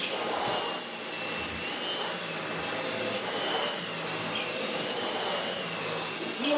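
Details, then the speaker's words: Dyson V12 Detect Slim Absolute cordless stick vacuum, which had been clogged and kept pulsing and cutting out, now no longer pulsing: steady high motor whine, faint tone near 3 kHz, even airflow rush, no surging or cutting out. Running normally. "it's not pulsing anymore, but it's still not bloody lasting."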